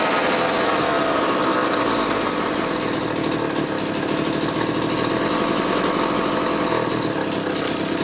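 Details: Old McCulloch 1-40 two-stroke chainsaw, very smoky: harsh uneven buzzing idle that stumbles and won't settle; owner suspects bad crankshaft seal on one side or crankcase sludge, maybe carb rebuild kit; tuning not far off, cause unconfirmed.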